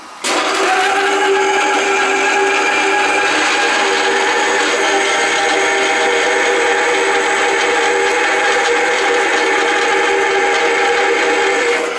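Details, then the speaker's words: VFD-driven Delta saw converted to metal cutting, about 100 feet per minute, fine blade cutting steel: steady even whine and cutting hiss for twelve seconds, no bogging, belt not slipping, no stall or overload trip despite earlier overload; strong torque. "it's working all right a little earlier before I started the camera I was getting an overload here oops the belt is not slipping and I am NOT able to get it to stall so there seems to be tremendous torque"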